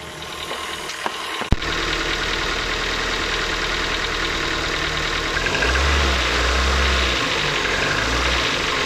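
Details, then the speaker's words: 2008 Ford Focus mk2 1.6 Zetec petrol, about 170,000 km, Castrol Magnatec 5W-30, cold start after sitting overnight, mic at the engine: a fast idle with a steady light clatter lasting 2–3 minutes. The owner suspects the valves; unconfirmed. "teraz ford focus z 16 benzyna silnik jest zimny klekocze klekocze przez jakieś 2-3 minuty podejrzewam że są to zawory"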